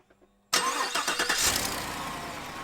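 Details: 2019 Cadillac Escalade just after transmission replacement, started on the lift, recorded from under the vehicle; cranks, catches to fast idle with sharp ticking puff: suspected exhaust leak, owner suspects manifold or O2 sensor area, manifold studs not broken.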